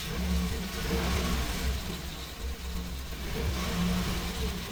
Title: Engine Misfire 6.0 L96 Gas Engine.